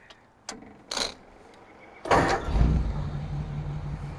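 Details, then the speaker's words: 1940 Ford Tudor hot rod with electronic fuel pump and aluminum radiator, push-button start: a few clicks, then the V8 catches on one hit and settles into a steady, even, low-burble idle; normal start. "I'm going to start it up I'm going to start the car for you it's literally just like one hit on the button here"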